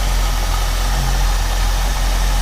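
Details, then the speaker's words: 1968 Ford Mustang 289 V8 after carburetor rebuild, warmed up with choke wide open: steady low idle with a slightly uneven, lumpy beat, not unstable but rougher than it should be; rough idle, owner unsure if misfiring. "What it is doing, it seems to be, I don't know if it's misfiring or if it's just 1968 engine idling away. Seems to have a little bit of a rough"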